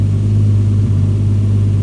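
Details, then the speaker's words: Rebuilt engine's first start, cylinders had been oiled: smooth, steady low hum at 1000 rpm, no knocks or misses, no smoke, started first try; normal even idle. "Og den ryger ikke engang. Sjovt nok. Jeg tænker på, hvordan der stod en der med på hovedet med olie ned i alle cylinderne. Perfekt. 1000 omdrejninger."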